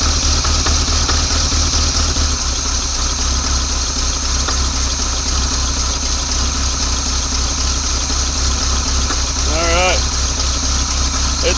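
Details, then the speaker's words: 1986 Chevy C10 Silverado V8 abandoned 15 years, carb hosed with cleaner, fed from fuel pump: steady, slightly lumpy idle a bit below normal speed but holding on its own; fuel leaking at filter housing. "idling on its own a little on the low side but it's idling on its own"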